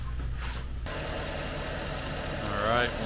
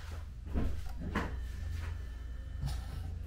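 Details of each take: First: 2013 Porsche Cayenne S 4.8L V8 after replacing the torn air-oil separator diaphragm that caused loud hissing and MAF implausible codes: steady, even idle with smooth low rumble and no hiss or whistle. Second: 2013 Porsche Cayenne S 4.8L V8 at startup: loud high hissing over idle from a vacuum leak through a withered, torn air-oil separator diaphragm; MAF implausible codes and check engine light.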